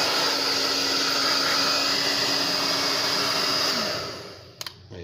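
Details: Steady high whoosh and motor hum with no rattle, then a clean switch-off, from a Tecno Elétrica Fórmula 6000 Turbo hair dryer. It works properly, reaching 110°C, after the repeatedly breaking heating element was replaced with one adapted from another dryer.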